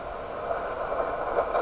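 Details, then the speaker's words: Heathkit SB104A transceiver during alignment of the D (HFO/Premix) board: steady rushing hiss with scratchy crackles growing louder; the radio makes these sounds all the time, cause unknown, seemingly unrelated to the control being turned. "Yeah, this radio makes those sounds all the time, and I don't know. I think I hear that on other shortwave radios."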